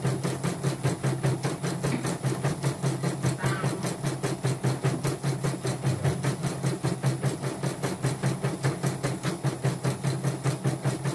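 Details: Portable embroidery machine (came in blank screen, dead touchscreen, hoop not positioning, unable to embroider) test-stitching with cover still open after mainboard replacement: even rapid needle clatter about two and a half stitches per second over steady hum; result judged OK; normal embroidery stitching.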